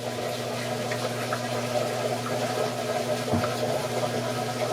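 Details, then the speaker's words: Basement sump receiving washing machine drain water, monitored by an ESP32 ultrasonic level sensor: low thunk as the sump pump cuts in, then steady low hum under rushing water. Normal sump pump running. "oh that thunk you heard right there was the sump pump running so yeah the sump pump"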